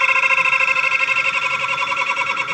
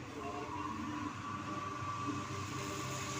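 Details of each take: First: Dryer machine running slow with jammed mechanical seal, started with temporary added capacitor: steady high squeal with fast pulsing wobble as motor strains; noise easing with repeated starts, oiling shaft advised. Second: Dryer machine that had been turning slowly, suspected jammed mechanical seal, after repair: a steady, even hum with a faint high whine and no knocks or speed dips, before the original 10 µF capacitor is refitted. Normal running, with speed restored.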